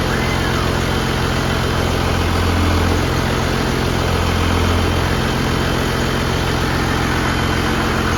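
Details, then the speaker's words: 1969 Dodge D200 Sweptline with a swapped 5.9 first-gen 12-valve Cummins, cold start: deep, steady diesel clatter at idle with an even beat and no knocks or misses, a healthy engine warming up. "this thing sounds mean if you can hear it behind me I'm sure you can this thing's really coming together"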